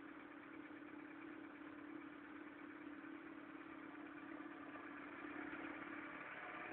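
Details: Mk3 1.4 mono-injection engine idling cold: steady mid-pitched hum with a rough, fluttering undertone at even speed; abnormal cold-engine noise, cause unknown.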